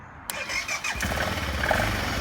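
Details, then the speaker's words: BMW G650GS, 1.5 years old, after a no-start from a weak battery, battery only refilled with water and not recharged: short crank catches right away and settles into an even, steady single-cylinder idle. "it's working i love it"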